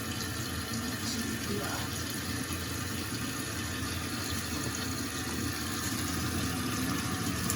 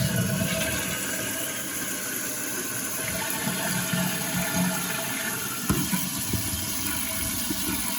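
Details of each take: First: Toilet tank refilling after replacing the fill valve and flapper with new parts. A steady even rush of water with no hissing or stutter, no leaks underneath; normal refill. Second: Running toilet with "phantom flushing" (refilling in short spurts by itself), heard with the tank lid off before repair. A continuous hiss of water trickling and refilling without pause; suspected worn flapper.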